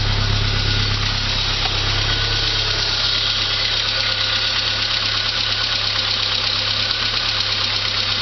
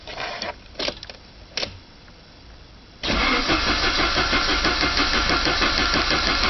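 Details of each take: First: 1985 Saab 900 turbo first start after oil pressure loss, steel piece removed from oil pump and relief valve: steady idle with fast light valvetrain clatter that quietens as oil pressure returns. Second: 1985 Saab 900 turbo, cranked after oil pressure loss: oil pump and relief valve were removed to clear a steel piece, the pump primed with grease, new filter fitted. After clicks, an even crank at about three turns per second, no firing, building pressure. Normal cranking.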